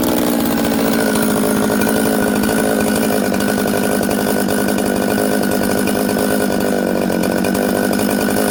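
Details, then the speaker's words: Newly built Buckin's 266 chainsaw that ran poorly from an air leak, fixed by sealing the oil pump O-ring with assembly silicone and retorquing; loud steady two-stroke buzz holding even pitch without hunting or stalling, starts, idles and settles quickly. "okay friends uh i had the saw running there you can see it starts it idles it settles down quickly i can flip it all around it's good"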